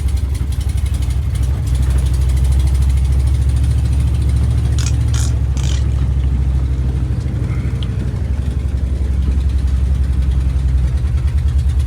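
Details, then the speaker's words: 1973 International Travelette crew cab with a 392 V8, parked 30 years, running on choke. The deep idle has an uneven, stumbling beat. The owner suspects a cylinder missing on a fouled spark plug; the plugs are not yet checked. "irking sure sounds like it's missing on a plug I mean I didn't check the plugs or take a look at them yet"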